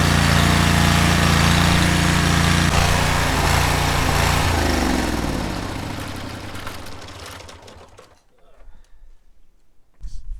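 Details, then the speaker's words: Cub Cadet 1641 lawn tractor single-cylinder, hot, with choke on, runs with an uneven, lumpy beat that sags and dies; fuel was very old and discoloured, later changed, after which it ran properly. Rough running. "Still running normal with the choke on? It seemed like it was running rough kind of all the time. Yeah, it kind of was."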